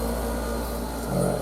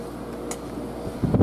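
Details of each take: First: Mini split outdoor unit hung on a wall bracket spanning studs on a garage wall: a low, steady drone that carries into and shakes the wall. Structure-borne vibration; the unit must be isolated from the building, as such a mount suits only concrete block walls. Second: New mini split heat pump air conditioner cooling a garage, outdoor unit on a wall bracket: a low, steady airflow hum with no rattles or rubbing, very quiet. Normal outdoor fan operation.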